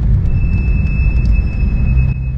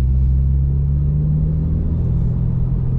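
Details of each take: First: 2012 Porsche 911 (991.1) while driving: steady high-pitched brake squeal over road rumble; fronts recently replaced so rears suspected, no wear indicator light on dash; unevenly worn rear pads, replacing them solved it. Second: 2012 Porsche 911 (991.1) after a brake job replacing unevenly worn pads that squealed without a wear light: steady road rumble with no squeal or scraping while braking; brakes now quiet.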